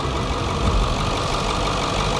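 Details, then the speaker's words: Ford F350 7.3 Powerstroke diesel right after a new fuel filter install: starts, then even diesel clatter at a steady idle with no stumbling or hunting; normal idle. "Ho-ho! It starts. Good. But was everything back in correct? Sounds all right."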